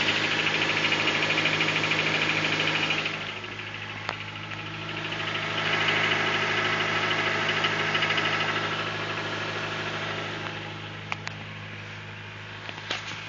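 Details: Honda Civic D16 on cold start: steady rapid knock at idle; piston slap suspected, not confirmed.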